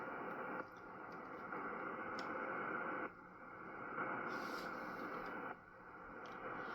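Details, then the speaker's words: Ryobi battery charger plugged in: hissing static on the ham radio receiver swells and cuts out about every 2.5 seconds. The faulty charger radiates trash through the entire electrical system and is still heard out at the panel box. "And what happens is it radiates through the entire electrical system."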